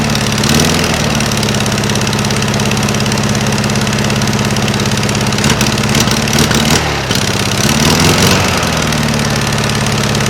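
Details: 1956 VW Beetle engine with a stock Solex 34 PICT 3 carburetor swapped in for Webers, idling on a chilly day: a quick puffing "papa papa" tick over a lumpy idle, an exhaust leak at the heat riser flanges, which have no bolts fitted. Not valves.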